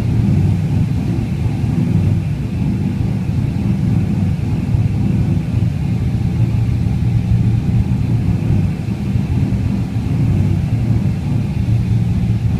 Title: LS1 idle issues, help!